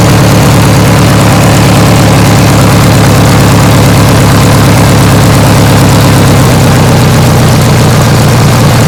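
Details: 1980s Sears Craftsman II, Briggs & Stratton 18 hp twin, after carb clean and new starter: low, even twin-cylinder idle with steady deep Harley-like pulse, no misses or knocks; normal idle.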